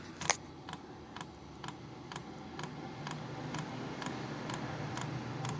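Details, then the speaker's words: New Wippro 5/8 kW all-in-one Chinese diesel air heater on its first start, fitted to a 2000 5.9 Cummins Freightliner MT45 van: sharp light ticks about twice a second as the fan builds; fuel pump clicking normally, fuel not yet confirmed in lines. "oh I hear the fuel pumps going so I can't tell whether there's any fuel on the lines yet"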